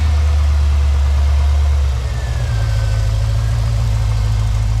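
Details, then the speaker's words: Boosted V8 in a classic Range Rover on first start, idling smoothly: deep, steady, even rumble with no knocks or misses; normal idle, though an EFI setup is still to be done. "We've got a lovely, lovely idle speed, although I've got to go through and do an EFI setup on it anyway."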